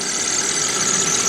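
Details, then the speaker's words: 2013 Chevrolet Spark at idle just after new coils and spark plugs, check engine light cleared: a steady high squeak of constant pitch over a quiet idle, the owner noting squeaking belts; the engine is not missing and appears to run normally. "it's running got some squeaking belts but it appears to be running"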